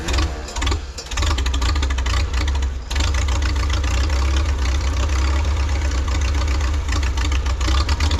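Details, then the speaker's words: 1952 Farmall Super C tractor after fuel system repairs (sediment bowl, fuel line, carburetor), compression equal on all four cylinders: starts easily and idles okay but lumpy note dips and falters, stumbling on acceleration; owner suspects ignition timing or spark. "ignition timing is a little trickier to hear with your ear it starts pretty easily it idles okay but it does stumble on acceleration so it could possibly be the timing"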